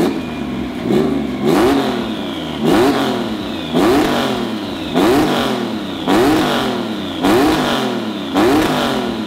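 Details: EG33-swapped Subaru WRX STI on Haltech, after switching to a custom crank sprocket and Hall-effect sensor, TDC offset verified at 87 degrees, new plugs gapped to 0.026 in: crisp throttle blips, each dropping cleanly back to a steady idle; engine sounds healthy.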